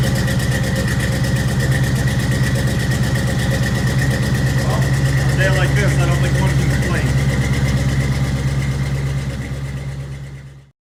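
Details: 1983 K20 truck with a cammed 305 V8 and carburetor, cold start on choke after a suspected carb vacuum leak was fixed: settles into a lumpy, loping idle with a steady choppy cam beat, running clean and even.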